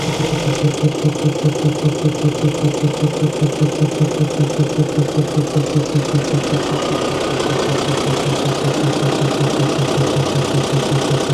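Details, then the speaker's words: Mercedes-Benz 911 4WD diesel truck idling after sitting about 8–14 years, air tanks charging: steady, even low thumping about 2.5 beats per second, unbroken; normal smooth, healthy diesel idle. "Here's some air building up. Look at these tanks charging. Can't believe how well it sounds."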